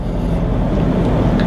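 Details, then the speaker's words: Second-hand 2016 Mitsubishi Montero diesel after EGR cleaning, previously noisy with slight shake despite oil and fuel filter change; now steady even low diesel drone under way, no roughness or shake, smoother and quieter than before. "Ngayon parang na siya, banayad na. Yun yung isang pagkakaiba nun. Parang ika nga mas tahimik na siya ngayon."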